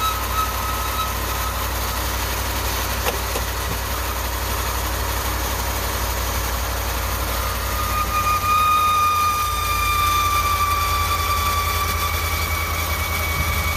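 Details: 2019 Ram 1500 cold start; steady high chirpy belt squeal at idle; alternator, battery and battery sensor replacements didn't help, replacing idler pulley and tensioner together stopped it.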